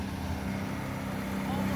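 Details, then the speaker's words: 2012 Sea-Doo Challenger with the supercharged 4-TEC engine, after the cavitation repair: a steady drone building smoothly to about 4,000 rpm with good thrust. Normal jet pump thrust, no surging. "that's about 4000 rpms so we've got a nice amount of thrust coming out of this thing"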